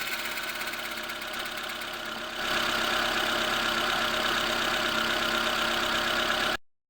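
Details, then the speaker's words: Lada Granta at 81,000 km, cold engine: whistle and hum appear when the clutch pedal is pressed, jumping from idle to a louder steady whistling hum; owner reads that this is the clutch release bearing wearing out. "пошел свист и гул на холодную при отжимании сцепления сейчас заведу покажу скажу однако"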